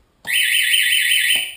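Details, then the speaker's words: Homemade shark alarm with its switch mounted in the down position, flipped on: one loud, steady, high-pitched buzz lasting about a second, clean with no warble; the buzzer works properly. "oh that's loud it's loud"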